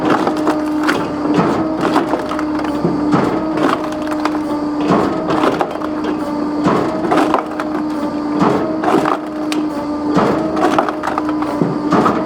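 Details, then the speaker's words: Electric Kindlet Pro kindling splitter on 3-phase 415V 50Hz via VFD from 480V 60Hz, started from E-stop; constant hydraulic motor hum, cooler fan, sharp wood cracks about every two seconds as the X blade cycles: normal splitting operation. "You can hear the cooler fan start up, and obviously the motor for the hydraulics. And each time the X blade cycles, the wood advances."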